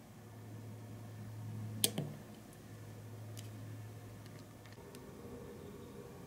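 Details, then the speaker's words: Uncovered relay on a relay module drawing about 78.5 mA at 5 volts when the coil energizes; a sharp double click as the armature pulls in, then a faint steady hum while energized, relay switching normally. "And of course, when you activate the relay, it takes a lot more energy and a lot more current to turn that bar of metal into a magnet."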